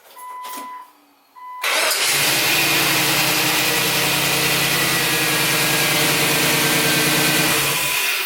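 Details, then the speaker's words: LS Vortec V8 swapped into a 2003 Jeep TJ, after fixing crank-no-start by wiring computer switched power to run/start: chimes, cranks, catches at once, smooth even idle; normal start and idle. "Oh, yeah. So there you have it. We got it running."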